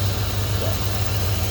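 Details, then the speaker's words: 1995 Ford F150 that kept losing power, after the corroded battery terminals were cleaned with a brush and baking soda and water and brass cable ends were fitted: a steady, even low idle with no stumbling or dropouts. It sounds normal. "so hopefully uh what we get is it consistently starting back up and running and driving and doing everything it's supposed to"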